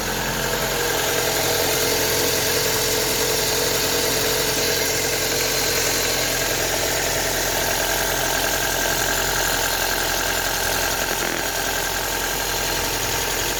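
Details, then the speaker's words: Ford Focus MK1 1.4/1.6 petrol just started cold in freezing weather after a second-hand fuel injection rail swap for rich fuel trims: steady, even idle with no misfire or stumble. Injectors not leaking; normal idle. "okay so the injector's all good they're not leaking it's running we're going to let warm"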